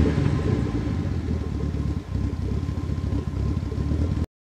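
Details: Nissan 280ZX Turbo L28ET engine revving: deep metallic knocking that follows engine speed, a worn connecting rod bearing knock.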